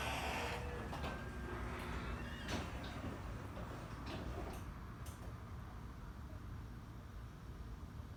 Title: More of The Squeakiest and Loudest Genie Garage Door - From A Distance